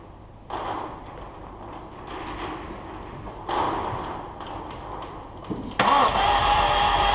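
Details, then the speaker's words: Abarth Punto Evo listed as non-runner, oil on dipstick, cam belt on and tight, suspected of no compression: steady starter cranking, then engine briefly catches and roars, trying to fire without running. "What the hell? It just tried to start. What the hell?"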